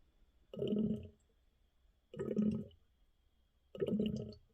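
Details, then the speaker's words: Gurgle bursts about every 1.5 seconds from the well bladder-tank tee with the house valve shut; water is leaking back out of the system and air enters through the air vent. "hear that gurgle so that means water's going somewhere I have this valve shut off so there's no water coming from the house that means this is leaking and water is going back out somewhere"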